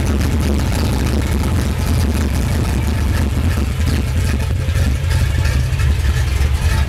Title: red 82 chevy. rough idle